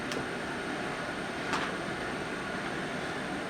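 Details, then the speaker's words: Bulldog InnKeeper/HomeKeeper (IKV/HKV) unit at start-up in heating mode (W call, heat LED on), blower on low fan: steady, even airy whoosh with no knocks, rubbing or pulsing; normal fan running. "So our board is processing the W call at the thermostat, the heat LED is on, and the low fan is on, and you can hear the fan running"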